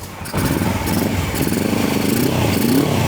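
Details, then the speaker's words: 1980 Suzuki GS450 barn find on first start after cranking: a rough, uneven run with occasional sharp pops. It backfires while running without its airbox and air cleaners; the cause is suspected, not confirmed. "backfire a little bit airbox and some air cleaners Reet it that would be fantastic"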